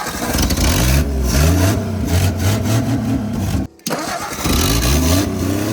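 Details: 1959 Ford Edsel revived after sitting over a decade, idle turned up after wiring alternator: engine pulls up in strong stepped revs, dips briefly, then climbs again cleanly; raised idle responding, runs healthy; normal revving.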